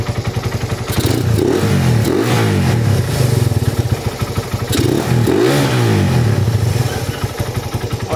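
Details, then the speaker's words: Freshly rebuilt Raider 180cc with 30mm flat-slide carb, 68mm steel bore, ported stock head, gutted stock pipe, in break-in. Two clean, crisp blips that drop straight back to a steady idle around 1.5; very quiet, healthy engine. "Alright, balik agad yung minor nya sa 1.5. Tapos stock pipe pero kalkal. Ayan, wala ng divider sa loob yan. Sobrang tahimik na makina."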